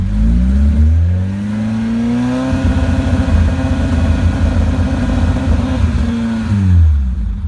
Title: 182 OMEX misfire